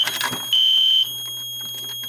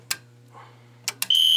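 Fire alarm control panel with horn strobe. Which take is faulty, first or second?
second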